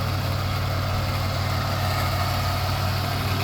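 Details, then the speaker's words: 2010 Chevy Impala engine, started right up in the morning: steady even low idle hum, no knocks or ticks; engine sounds healthy, though power steering was whining and was topped up. "but the motor sounds good it did start right up this morning"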